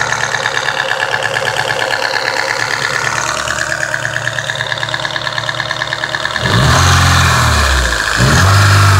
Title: SR20DEH strange noise